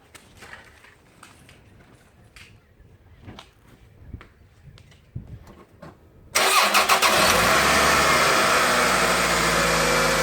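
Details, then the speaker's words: Toyota 2.4 L engine (Tarago/Previa/Estima) after coil pack and spark plug replacement: a few clicks, cranks, catches cleanly, settles into steady even idle, no stumble or miss; runs well. "And it's not missing, and it sounds good."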